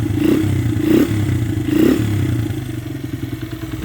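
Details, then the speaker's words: 2001 Honda XR100R after restoration, running after cam chain adjuster adjustment: even single-cylinder idle thump, steady and settled, earlier cam chain noise gone, no top-end ticking. "so here it is running nice idle just perfect"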